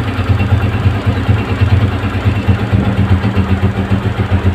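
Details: Motorcycle idling after slow-running adjustment: steady low thump with an even, settled beat and no misses; holds idle smoothly, no missing.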